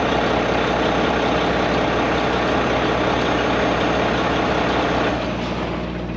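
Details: Mack MP8 (Volvo D13-type) truck diesel, which has had a long-crank hard-start problem after sitting, fires at once on the key and settles into an even idle; a normal start for comparison.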